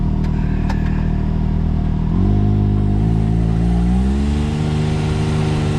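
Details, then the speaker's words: X3 side-by-side driving up to speed after carrier bearing replacement (previously squeaked, worse at speed, owner had sprayed it with oil); low engine drone rising in pitch, no squeak or chirp, drivetrain quiet as new, fix confirmed. "oh i don't hear nothing quiet as she was brand new man i'm pretty excited that this worked out"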